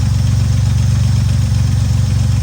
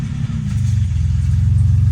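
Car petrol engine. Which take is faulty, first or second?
second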